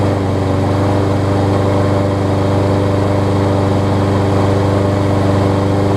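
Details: Kohler-engined Lawn Boy mower that needed starter fluid to start, after a carb clean that cleared the clogged top jet: it runs smooth and steady with an even low hum, no surging or misfire.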